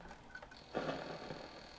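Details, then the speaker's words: Sony TCM-5000EV portable cassette recorder on 6 V DC, play pressed: faint steady motor whine with no tape-transport sound, capstan and pinch roller not turning, then unit shuts down; worn drive belts, needs complete belt set. "they hear a motor running let's open the door I've got no movement on the capstan or the pinch roller at all but I hear the motor running"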